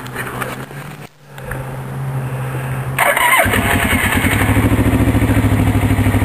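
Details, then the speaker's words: 1983 Suzuki GR650 Tempter DOHC twin with balancer, 11,000 miles, cold start on full choke with key: starter churns briefly, fires near three seconds and settles into even, steady idle; healthy cold start. "so we'll start it up now it's cold we'll uh we'll start it right from the choke full choke and the key"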